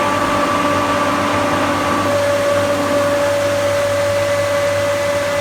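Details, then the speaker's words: Newly replaced pool pump, after the old one went bang, running just after start-up on a sand-filter system: even, steady motor drone with a constant tone on top and no knocks or rattles; running normally. "When you hear the pump go quiet, that's when you know that it's properly working at capacity."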